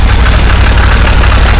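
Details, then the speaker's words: 2015 Massimo Militia 1000 twin-cylinder UTV, first run after fixing no-spark and crank sensor electrical issues, idling: loose uneven rattle and faint top-end clicking over steady low rumble, running on both cylinders; clutch rattle suspected. "A little clickety on the top end, but not bad. But it is running on both cylinders."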